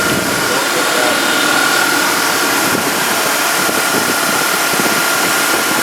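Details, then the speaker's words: 2001 Dodge Dakota 4.7L, 130,638 miles, after cleaning idle air control valve: steady even idle with faint constant whistle, no stalling (previously ran and died); idle still a bit high. "okay i guess you can idle up there all right this at least is idling before it would just run and die"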